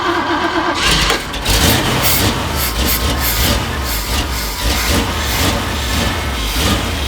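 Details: Jeep rebuild with newly mounted electric fuel pump feeding filter with return then carburetor, temporary power wiring: engine catches after short crank, settles into steady, somewhat rough run with no distinct misses or knocks.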